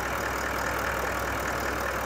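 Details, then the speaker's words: Toyota Land Cruiser diesel at its 125,000 km service, started after the fuel system was primed free of foamy diesel: even, steady idle with a smooth low beat, no knocking or rattling. "And there we go. Start it up, it's not knocking, carrying on, rattling."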